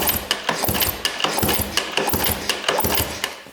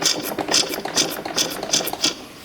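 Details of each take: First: 1997 Yamaha YZ250 two-stroke that the seller said would not start and that has never fired (plug brand new), kicked over before starting: even, regular clacking about three per second with no knock or rattle; smooth cranking, no bad rod bearing heard. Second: 1997 Yamaha YZ250 two-stroke dirt bike, sold as non-running, while checking ignition timing at the flywheel: sharp hissy puffs about twice a second from the air box/intake side; carb also sounds odd; unexplained air box noise, cause not yet found.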